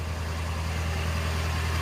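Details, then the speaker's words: 2011 Ford F-350 6.7 Power Stroke diesel with high idle wired in, in neutral with the parking brake on; steady, even drone at about 1200 rpm with no knocks. Normal high idle. "I'll flip up to and it'll start to the 20k gives it about about 1200 rpm or so"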